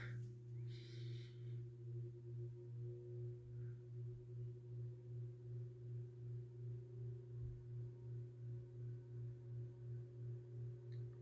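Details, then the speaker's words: SMC-UB42 ceiling fan, about three years in use, running high speed in reverse: a steady low, even hum with a faint higher tone and gentle slow pulsing. Quieter than forward, which has some motor crackling; healthy. "it's definitely more quieter I've noticed um all you hear is just the home"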